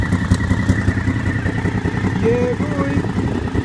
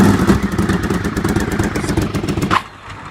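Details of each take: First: Honda VFR750 V4, cold, after swapping the two coil packs back: idles evenly, revs cleanly up and drops back without stumbling; now runs correctly, normal revving. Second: Motorcycle engine (Honda VFR750 V4, on choke) after plug change, coil packs suspected swapped: lumpy, uneven chuffing that never settles; one cylinder dead, unplugging its lead makes no difference; swapped coil packs suspected.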